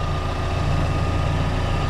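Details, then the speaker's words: Freshly rebuilt Daewoo Lanos engine, hot idle at operating temperature with hot oil pressure being checked: steady, even low idle, smooth hum, no knocking or ticking; earlier noises gone, engine healthy. "так машину прогрели сейчас уже этих звуков не слышно"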